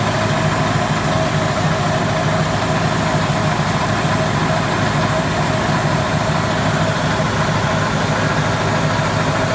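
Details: Caterpillar 215 diesel at steady idle: constant airy hiss from the valve compartment with no change in pitch; cause of the hiss unclear.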